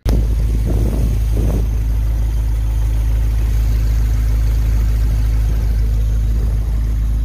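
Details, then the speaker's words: 1951 Pontiac Chieftain engine idling while warming up to temperature after coolant fill: deep, steady low rumble, even idle, no knocks, ticks or hunting; no coolant or oil leaks seen, healthy. "so yeah there it is running um with cool inant so I'm letting it get up to Temp letting it making sure it you know everything gets properly lubricated in there"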